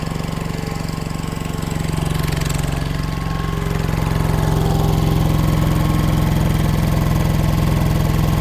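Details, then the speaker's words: Old air compressor engine after fitting a new electronic distributor, timing being set by ear, compressor at 60 psi building air slowly: low, lumpy, uneven chugging; timing likely still needs slight adjustment. Rough running. "I'm at 60 lb of air. So, it is making air. It's coming up slow. Um, but it sounds like I might need to adjust it just a little more."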